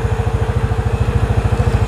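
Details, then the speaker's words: Yamaha Mio Sporty scooter after the carburetor slide vacuum hole was enlarged to cure low-rpm hesitation, recorded with external mic: crisp single-cylinder idle about eleven beats a second, no stumbles or skips; smooth and healthy. "halus sekali tanpa ada apa gejala gejalaan berbet sama sekali nih"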